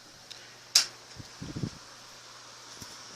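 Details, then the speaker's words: 1970s Sears 12-inch oscillating table fan made by Lasko, metal gears, switched to high after low and medium: click then steady even rush of air with faint hum, no ticks or rubbing; fan running normally on high. "And of course, these old Lasko Galaxies, low and medium aren't too much of a difference, and then high it really takes off."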